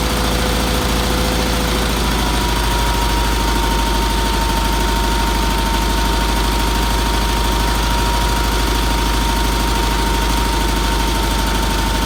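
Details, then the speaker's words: Red Roper with a BFM twin-cylinder engine, idling after first start following fuel filter, fuel line and pulse line work and some tuning. The idle is steady and even with no knocks or misses and a faint background tone. It runs healthy. "I am very very happy with that you turn the key on won't meter works the lights work I'm very happy with that motor runs good had to do a little tuning on it but that's what happens every time you do it"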